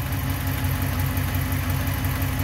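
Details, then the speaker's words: Ram 1500 5.7 Hemi, 51,500 miles, on 5W-20, cold start in about 90-degree Arizona heat: even V8 idle with faint light steady ticking, some fading right away; known Hemi tick since about 20,000 miles, owner thinks partly exhaust. "so here we go here's the cold start yeah hear that everything went away right away so that might be the exhaust here a slight tick in there it's not too bad [Music] you can hear a little bit of ticking in there"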